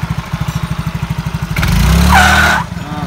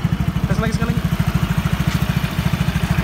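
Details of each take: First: Yamaha Mio J/Exride/Soul GT 115cc with weak pull-away and poor climbing: lumpy idle, then a thin, high mouse-like squeal rising with throttle and fading as revs drop. Rollers stick in holes worn in the variator. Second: Yamaha X-Ride/Mio J 115cc scooter with weak pull and poor hill climbing, after repair: even single-cylinder idle putt about three beats a second, then a clean smooth rev without slip or rattle; normal CVT operation.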